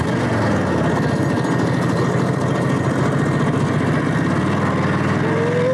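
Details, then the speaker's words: Motorcycle with a V-twin engine, last run around 1992 (about 30 years idle), possibly not its original engine, opened up on the road: loud, lumpy beat holding steady and strong with no knocks or rattles; runs fast and healthy, normal running. "man it sounds good when you open it up out there it's fast"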